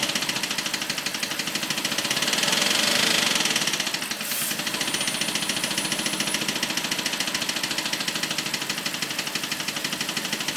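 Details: BMW 545 at idle: crisp, fast, even ticking holds a steady pace over a quiet engine hum. The owner calls it a weird clicking noise; cause unknown.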